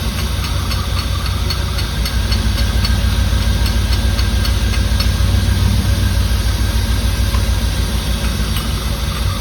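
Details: 1989 Firebird Formula 350, 10,000 miles, long stored, gummed parts being tapped free: loud lumpy idle, uneven pulsing beat and stumbles, probably not firing on all cylinders.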